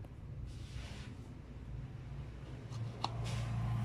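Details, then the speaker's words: Sanyo one-door refrigerator that is not cooling though its light works: a steady low mains hum builds and holds without the compressor starting to run, drawing 2.6 A and getting very hot; the compressor is seized and only humming. "di sini amperenya 2,6 artinya mesin kompresor ini hanya dengung ataupun macet"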